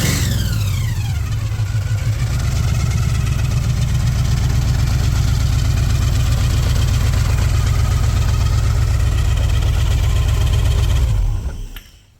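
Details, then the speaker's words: 1968 Chevelle with a supercharged V8, recorded at the front: a deep rumble with a high blower whine that falls as revs drop to idle before shutoff. Normal supercharger whine. "And when you're coming down the road, people are looking for, like, what is that squeal? What's going on? Well, that's it right there."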